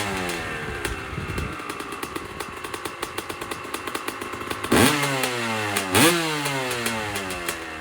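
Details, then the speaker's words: 2001 Honda CR250 two-stroke started after pre-ride maintenance; crisp, busy ringing idle with steady popping, two sharp throttle blips falling back cleanly: normal idle. "So basically, one last thing to do, start it up, make sure it runs."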